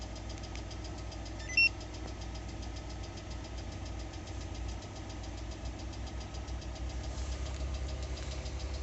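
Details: 2020 Lada Largus, 3,300 km: rapid, regular ticking knock over idle that follows engine speed, coming and going whether cold or hot. Cause was a factory-defective cylinder head, replaced under warranty.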